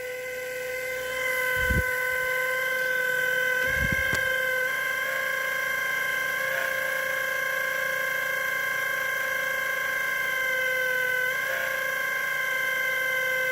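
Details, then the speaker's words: Sony AV-3400 portapak reel-to-reel VTR: a constant high motor whine with a buzzing edge and brief thumps. The motor is vibrating, with a bad bearing suspected. "well the motor is actually the cause of the noise as you can see it's making that sound so this motor is shot"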